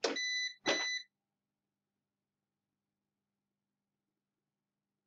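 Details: PowerShield line-interactive UPS after AC input is unplugged from the wall: two short shrill beeps, a pause, then another beep, while it shows AC failure and runs the load from battery through the inverter; on-battery alarm.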